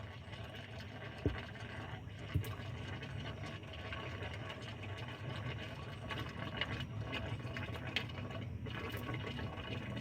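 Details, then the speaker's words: Nissan Pathfinder that cranks but won't start, fuel line tested with the filter removed: the pump takes long and gives only a low, irregular gurgle with no steady stream. Fuel pump failure suspected. Weak fuel flow. "I'm gonna go ahead and turn on the fuel pump right now. That took a long time. And it's still just kind of gurgling."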